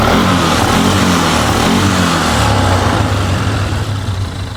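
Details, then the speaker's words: Polaris Sportsman ATV after parts replacement, engine sounds healthy with a steady, even low thrum, no knocks or misfires, before test ride checking four-wheel drive, high, low and reverse; normal running. "sounds good see if it says four-wheel drive is working"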